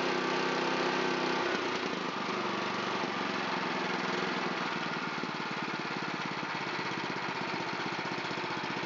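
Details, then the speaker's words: Honda GX270 on a NorthStar water pump, sat unused and wouldn't start, after carburetor cleaning, started on choke at full throttle: settles into a steady, even putter of about four beats a second; a smooth idle. "Let's fire it up. Fuel's on. A little choke. Ignition on. I like to use full throttle with choke. There's a nice idle."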